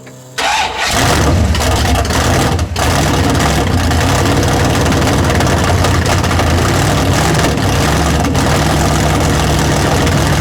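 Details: Big-block V8 after tunnel ram swap, first fire-up with water added and alternator fitted, timing not yet set: cranks briefly, fires right up into loud, lopey but steady idle with no knocking; normal start and idle.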